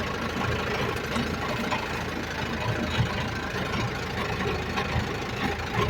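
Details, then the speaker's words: Jac truck in gear with the wheel spinning, a low steady hum over the engine from the rear differential; mechanic suspects low differential oil, not yet checked. "Como pueden ver, ahí está dando vuelta la llanta y sí, realmente se escucha el zumbido, el ruido en el diferencial, trasero."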